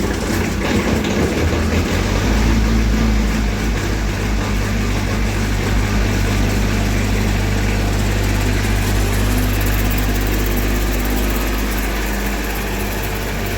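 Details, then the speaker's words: Miller Big Blue 400 Eco Pro diesel welder/generator, ex-rental, just over 2,000 hours: cranks and catches about two seconds in, then settles into a steady, even low idle with no knocks; runs smooth. "These aren't very well-known machines, but it's a monster. I love it. Runs smooth, welds great."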